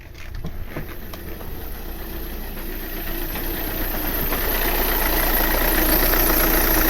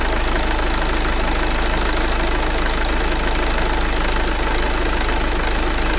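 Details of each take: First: 2009 VW Tiguan 2.0 TDI diesel at idle: revs jump and the car shakes, with an uneven, lumpy beat as if running on three cylinders; misfire, with blue-white smoke and strong smell from the exhaust. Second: 2009 VW Tiguan 2.0 TDI with a misfire issue, restarted after fault codes were cleared: a steady, even diesel clatter at idle with slight shake, no misses or stumbles; the idle is stable and the exhaust better than before.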